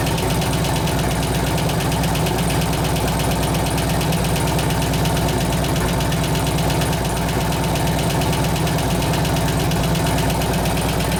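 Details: 2004 Harley FLHT Twin Cam 88 after cam and tensioner bearing repair with new lifters: steady idle with a light, fast tick of about three per second. About half the noise is gone; a lifter is likely not yet pumped up.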